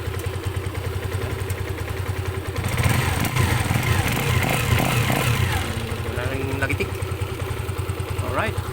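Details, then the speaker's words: Motorcycle single, still cold, after valve clearance reset (previously ticking and weak on climbs): steady low idle with even beats and no top-end ticking over background chatter. The valve clearance sounds right. "Pansinin nyo, malamig pa yan pero maganda na yung kanyang idle."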